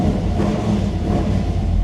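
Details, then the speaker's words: Old Chevelle V8 after repairing electric exhaust cutouts: deep even burble at steady idle with cutouts closed, no ticks, leaks or misses, then louder when opened; healthy exhaust note. "out pretty good pretty good let's open her up oh yeah now we're talking she's Ry nice"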